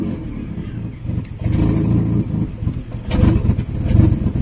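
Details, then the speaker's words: Fiat Stilo that keeps cutting out, MAP sensor wire removed so the engine management light is on: revs up fine but falters and nearly dies each time the throttle is released; codes for clutch pedal and intake pressure sensor; owner earlier suspected gearbox friction, cause unfound. "Well, I'm revving the engine at the moment because it keeps cutting out, but as you can see, the engine management light came on because I removed the map sensor wire, so that's the reason. But when I release the throttle, this happens."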